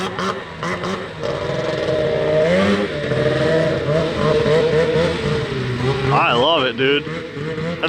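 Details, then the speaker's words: 13-year-old two-stroke race snowmobile with a known bog issue (owner suspects a sticking power valve), just pull-started: raspy revs that stumble and fall flat when held low, bogging at low rpm; unclear whether it is just too cold. "ah is it just too cold or is it bogging let do that let's keep bogging out that's it huh interesting man I think sounds nasty she sounds gnarly sounds like a Nitro RC car it's not a happy camper yeah I hear it down low it's not happy"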